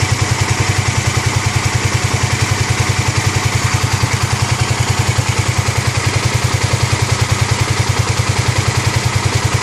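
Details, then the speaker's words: 2009 Kawasaki KLX250S first start-up after 300 big bore kit and new gaskets, idle raised from about 1000 rpm toward spec: steady single-cylinder thump, even and clean with no knocking or rattle; normal healthy idle. "that's only a thousand now a little bit more that's good what's the oil like in the window uh all right good that's how it sounds good"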